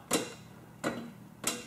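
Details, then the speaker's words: Riding mower electric PTO, operator seated, key on, engine not starting, PTO knob pulled out: three sharp separate clicks about 0.7 s apart. The electromagnetic clutch engages normally, so the fault lies elsewhere, possibly a safety switch. "that clicking that's the clutch engaging down there that clutch is just a big magnet that's all it is hear it so we know that's working"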